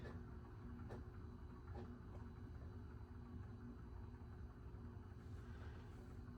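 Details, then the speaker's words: 2000 Heritage Alexis ceiling fan with new capacitor, running on low speed: low constant rough rumble and faint hum, bearings so loud fan is unusable; worn bearings need replacing. "Yeah, right now this is totally unusable because those bearings are so loud. As I've said many times in the video already, they need to get replaced."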